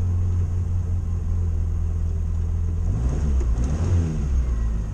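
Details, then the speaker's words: Morris Minor just converted from electronic ignition back to points, set by eye at about 15, just started. Deep, smooth idle that picks up cleanly as the throttle opens, no stumble or miss; normal idle and revving. "Well, he's away. And he's sounding alright."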